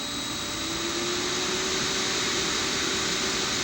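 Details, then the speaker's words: Motor driven by a PowerFlex 525 VFD on its programmed 5-second ramp-up, before a DC injection brake stop: steady high drive whine over a smooth motor hum whose pitch climbs evenly; normal controlled ramp-up. "So here is a 5-second ramp up that I've got it set for"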